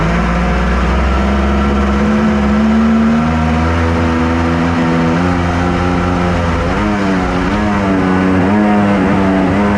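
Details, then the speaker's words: Kawasaki 1100 triple two-stroke in a mini jet boat, rebuilt with more compression, on the water: loud uneven drone wavering in speed and stumbling irregularly; rough running with popping back through the carburetor. "I don't love how it's running I hear it popping back there"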